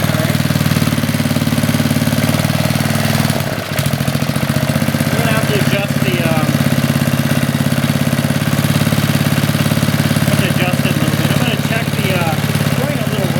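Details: 40-year-old Briggs and Stratton single-cylinder on a garden tiller, cold, after a carburetor rebuild and started without starting fluid to test the fuel pump: it settles into a steady, even chuff at fast idle with no misses or knocks; it runs pretty good.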